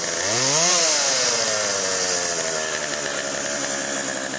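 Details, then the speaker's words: Chainsaw after Texas ice storm: quick blip then steady high buzz at idle-to-mid speed without bogging; could be fine-tuned but ready to go, bar oil pumping. "well that's pretty good i can fine tune that but i think that one's ready to go"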